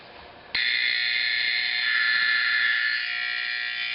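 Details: Simplex 4051 horn converted to 24 V AC 4050, final test: once powered, a harsh, steady buzzing tone sounds continuously without dropping out; horn working normally.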